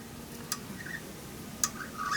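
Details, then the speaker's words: Hand tap cutting a final thread with the plug tap during a Gauge 1 live steam locomotive build: short high squeaks and clicks show the tap is getting tight, so the waste cuttings need clearing from the hole. "And I start to hear that squeak, and the way the camera's picked it up, that tells me now it's probably getting a bit tight. I'm probably ready to unblock, get the waste cuttings out the hole again."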